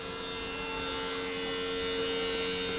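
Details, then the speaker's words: BMW 760Li V12 trunk hydraulic pump after bleeding over several open/close cycles; steady electric motor hum at fixed mid pitch building slightly under load, stops at end stop without the earlier free-spinning noise — normal cycle after repair. "En fin de compte, arrivé en butée, il ne fait plus tout le bruit qu'il faisait avant, à tourner dans le vide."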